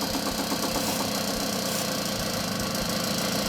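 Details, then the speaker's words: 1979 Puch moped two-stroke, air-leak test with the carburettor loosened and sprayed: a steady, even idle that drops slightly but never stumbles or dies. No air leak; everything is in order. "Carburettor is now no longer tightened and you can actually see that it still runs fine. Then you know that everything is actually completely in order."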